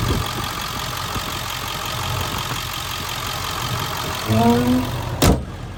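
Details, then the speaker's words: 2000 Ford Excursion XLT 7.3L Powerstroke diesel 4WD, heard at the exhaust: even steady idle clatter with regular low beat, no misses or odd knocks; no smoke or blow-by; healthy idle. "Come back here so you can hear the exhaust. No smoke, no blow by, no rust, none of that, guys."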